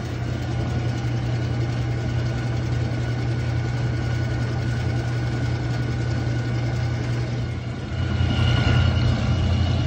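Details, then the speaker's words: Old Whirlpool washer with old-school agitator, owner suspects the pump: low, coarse rumble with a rough rattle through each agitation stroke, louder near the end; rattling, grinding noise during agitation, cause unconfirmed. "Somebody comment down below what is wrong with this. What I think is wrong with it is the pump."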